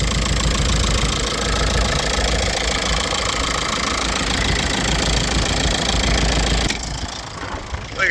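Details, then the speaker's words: 2006 VW Jetta MK5 TDI diesel, broken, jump-started on a windy day: uneven, lumpy clatter at idle with irregular beats, running rough; engine type known for cam lobe wear, cause unconfirmed. "we got we got a little bit of noise let me turn my car off running a little rough"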